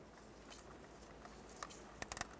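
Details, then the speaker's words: New airbag clock spring for a 2007 Chevrolet Cobalt LT 2.2L, twisted by hand past its stop before installation: faint dry crunching and grinding clicks as the internal mechanism is damaged; continued twisting ruins the part. "hear that grinding noise that's the sound of the clock spring inside going bad at this point if you were to continually twist this like this you just ruin the brand new clock spring"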